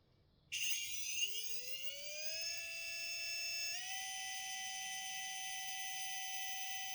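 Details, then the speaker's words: RC 1800 KV motor spun without load, pump disconnected; high electric whine sweeps up within two seconds and settles into a clean steady tone, unloaded RPM equal to KV times volts; normal unloaded run. "what you are hearing is the unloaded RPM of the motor which can be calculated by multiplying KV times volts this will give the unloaded RPM"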